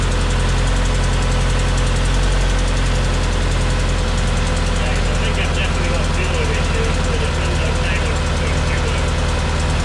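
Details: Homemade race car with a 20-year-old replacement engine, not starting after fuel pump replacement: loud, lumpy, rough running on sprayed starting fluid to check fuel delivery; owner suspects not enough fuel; small leak at new pump.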